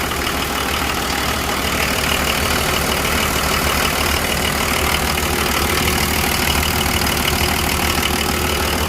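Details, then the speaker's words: 1984 Nissan Patrol with the SD33 diesel, idling after sitting for months: a steady, even diesel clatter of about three beats a second with no misses or knocks. It runs really good, with only a slight leak noted. "And then the Patrol, this one runs, I think, really good."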